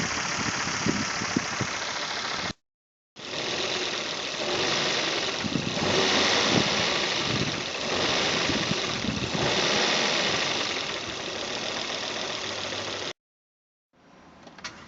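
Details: 2005 Volvo V70 2.4 170 hp petrol engine at idle: a fast, fairly regular knock of about three per second through the hiss; the owner thinks the engine is not fully healthy, cause unconfirmed.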